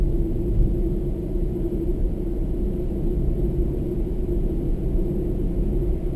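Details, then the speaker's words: New Toyota Prius in Japan cruising on snow tyres: steady mid-pitched whine over low road rumble, quieter on battery; owner attributes it to soft-compound snow tyre rubber, normal tyre noise. "Soft compound rubber, I guess, probably what makes them noisy, but they're noisier than standard tyres. That whining sound you can hear is the snow tyres."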